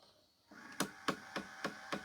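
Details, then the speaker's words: Hitachi 32-inch LCD TV/DVD combo, model VC326000: sharp regular clicks about every quarter second over a faint motor hum as a disc is inserted. A drive gear, one of the last two gears on the roller shaft, is slipping; it had earlier worked off the shaft. "And you can see it's actually clicking. It's slipping."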